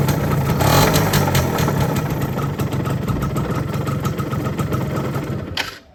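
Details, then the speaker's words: Yamaha F1ZR two-stroke, not started for a long time, with a customer complaint of clutch-housing noise: harsh, gravelly clattering over an uneven idle until it cuts out; the mechanic says it is not the clutch housing but crank play front-to-back from a worn bearing housing. "Suaranya dari mana itu? Berisik banget suara grok. Ya bukan dari rumah kopling ya guys suara berisiknya."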